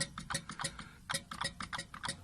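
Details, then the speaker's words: Dual-mass flywheel off the engine, rocked by hand: loose metallic clacks, about four per second in uneven bursts. Excessive free play means no damping left, so in service it knocks and sends heavy vibrations through the vehicle body. Worn dual-mass flywheel. "en fait ce qu'il fait c'est que, comme vous voyez, le volant moteur il danse en fait. Donc il n'y a plus du tout d'amorti. Ce qui fait que en fait, quand ça fonctionne, ça tape comme ça, bam bam bam, ça donne des ballots."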